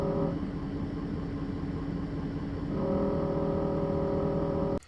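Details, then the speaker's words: 2017 Ford 6.7 Powerstroke diesel at idle, heard from the cab with the camera on the dash; a faint buzzing vibration comes and goes, stopping when the transmission dipstick tube is held steady; the loose tube causes the rattle. "Every time I let go is when you hear the vibration."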